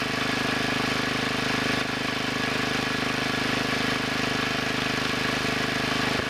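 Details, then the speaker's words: Two-engine Wheel Horse garden tractor, rear engine after its carburetor main adjusting screw was turned a little over a half turn to cure a puffing miss: steady, even putter with no misses or surging; now running normally. "yeah that sounds better I moved that one a little more than a half turn"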